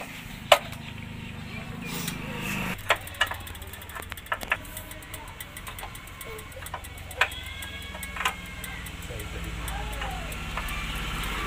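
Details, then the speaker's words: Hero Splendor iSmart motorcycle after riding and shutdown: hot silencer gives sharp, irregular "kat kat" ticks as the metal cools and contracts. "जब बाइक को हम बंद करते हैं तो यहाँ से कट कट जैसा आवाज़ आता है।"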